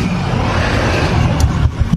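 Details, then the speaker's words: Honda Beat 2019 scooter with good battery and good charging: kick start fires at once, but electric (hand) starter works only intermittently, steady rumble then sharp click and uneven bursts as it engages this time; cause not yet confirmed. "Nah, ini mah bisa. Kadang bisa, kadang tidak nih. Tuh, enggak lagi."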